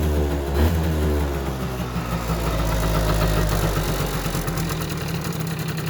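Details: Yamaha Jog two-stroke scooter, previously wouldn't start after winter, settles into a steady, fairly even low putter with no misfires or stumbles; idling normally.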